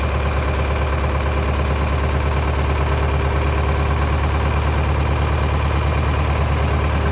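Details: Mid-1960s John Deere 3020 diesel tractor, about 477 hours, just restarted after sitting 5 years: deep even chug at steady low idle, no knocking or stumbling; normal idle.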